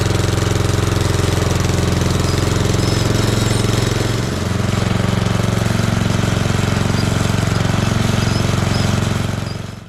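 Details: 1976 Roper ride-on mower with a 2000-year single-cylinder engine, barn find, old and makes a few noises after issues sorted; hard chugging, regular thumping about 220 a minute, runs rough and noisy, cause unclear.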